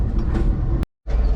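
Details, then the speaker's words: 1980 Chevy C70 truck, off road since 2005, being towed behind a Ford: deep steady roar from front wheel that worsens when turning, with a short cut-out; owner concludes front wheel bearing, not brake rivets rubbing drum. "update the roar gets worse whenever you turn the wheel so it's definitely a wheel bearing not a break"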